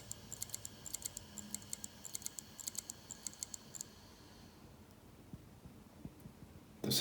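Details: LaCie Rugged 4TB USB-powered 2.5-inch drive (Seagate inside), about six months old, rarely used, never dropped, no longer recognized by Mac or Windows: quick light clicks, about five a second for four seconds, then near silence. Drive failure is suspected.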